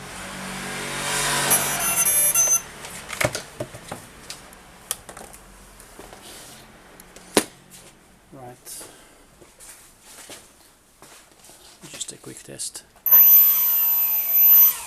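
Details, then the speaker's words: RC motor with an out-of-balance propeller on a Mayatech MT5 thrust tester (up to 5 kg): two short bursts of high motor whir with a coarse buzzing rattle, vibration very high. Unbalanced propeller vibration. "I don't know if you can hear that but the vibration is unbelievable the vibration is so high and obviously it's caused by the the out of balance prop"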